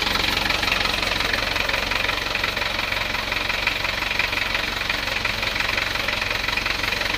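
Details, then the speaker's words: Isuzu Panther 2.3 diesel at start-up before repair: sharp tak-tak knock at nearly three per second over rough idle, attributed to low compression causing incomplete combustion; exhaust smoke not white. "kompresi rendah itu dengar bunyi suara tak-tak dikarenakan ee pembakarannya tidak sempurna, Teman-teman."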